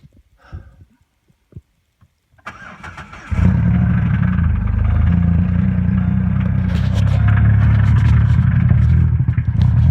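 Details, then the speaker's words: 2007 Pontiac G6 V6 starts, then rough heavy idle with an uneven internal knock; white exhaust smoke said to be water vapor, damage suspected to cylinders 2, 4, 6 (front bank); exact cause uncertain. "tell me something was in the engine but not for certain what it is exactly"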